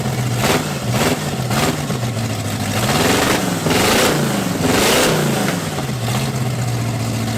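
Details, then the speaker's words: Cadillac big V8 on a new carburetor and ignition, cold day, timing unchecked: repeated uneven, rich-sounding surging revs; choke not working, stuck, to be wire-tied wide open. "so it fired up totally forgot choke is not working on this thing so it's stuck on wide open choke"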